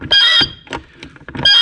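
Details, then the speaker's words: Mechanical fuel injector from 1971 Mercedes-Benz 280 SE (W108), bench-tested by hand pump after cleaning with concentrated injector cleaner (fluid pink from contamination): two crisp buzzing bursts with high squeal; injector now chatters and sprays forcefully, saved. "And you can hear it coming through there. Oh, that is just lovely."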